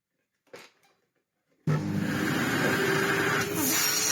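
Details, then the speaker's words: Sebo C2 Total vacuum cleaner switched on after a part was clipped back into place: near silence, then a strong, steady whoosh and whine with a brief dip midway. Speed control works and the motor runs healthily with strong airflow. "Speed control works now. It sounds fine. It's got fantastic airflow because, of course, it's bagless."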